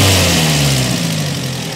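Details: Peugeot 405 1.9L GRX4 after carburettor adjustment: revs drop from a light blip into a steady, even idle with no misses or hunting, running like clockwork; carburettor well set.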